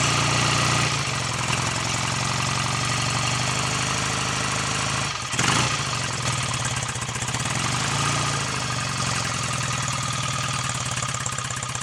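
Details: BSA A65 Lightning twin with electronic ignition, first start after full engine rebuild (new big ends, main bearings, cleaned sludge trap, top end overhaul), timing not yet strobe-set: even tick-over with a brief dip midway, mechanically quiet, no knocks; healthy idle.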